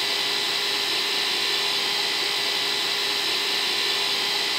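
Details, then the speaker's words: Hydropneumatic water pump (hidroneumático) running: steady even hiss and hum with constant whine, no knocks or surging, clearly audible unlike the quiet pressurizer; normal running. "realmente un beneficio de estas bombas es que son muy silenciosas Allí está conectada y no se escucha casi nada"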